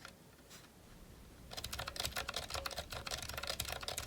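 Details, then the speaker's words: GK61 keyboard, unlubricated Zilent V2 62g switches with 1.5mm thick OEM PBT keycaps: fast uneven key clacks with a thin metallic ring as keys spring back up; spring ping on the upstroke from unlubed switches. "you can hear a really big difference with that any spring noise on the upstroke so and this is with the thick one point five millimeter key caps can really hear the spring there"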